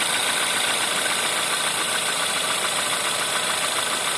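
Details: Cold-start knock on a 1.4 TSI CAVD engine: fast, fairly even ticking knock, roughly three to four beats a second, riding over the engine hum at cold idle.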